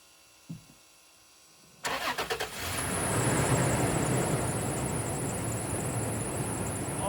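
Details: Cold start of the overland truck during a 5,000-mile off-road trip, after spark plug and cylinder six coil work, bag tied on radiator cap to test for exhaust in coolant: brief crank, catches, steady fast idle, no knock or miss; normal.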